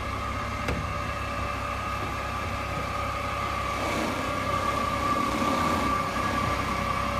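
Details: 2008 Mercedes-Benz C300 V6, stock exhaust, cold start and revving: a steady high whine climbs slightly in pitch as revs rise from a failing alternator; a replacement alternator cured the noise.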